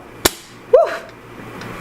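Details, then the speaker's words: Sparkling cava opened the day before and sealed with a spring-loaded metal sparkling wine stopper; sharp short pops as the clamp releases show the stopper held pressure, still bubbly. "definitely had some pressure on there so how this works is it has this kind of spring-loaded thing and then you kind of claps it down"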